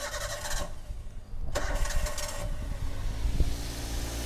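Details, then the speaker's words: Toyota Avanza engine previously rough-sounding with oil rising, started after checks: cranks, catches and settles to a smooth, even idle with no knocking; engine internals fine, fault suspected in front accessories (AC compressor, power steering pump; a pulley cracked). "suara mesinnya halus ya [Musik] alhamdulillahnya ini mesin masih halus aman masih aman"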